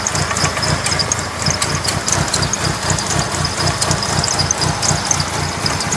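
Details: 1997 Mitsubishi Eclipse RS idling rough, with uneven lumpy low thumps and a shaky beat instead of a smooth hum; it also overheats when sitting still but runs fine when driven; cause unclear.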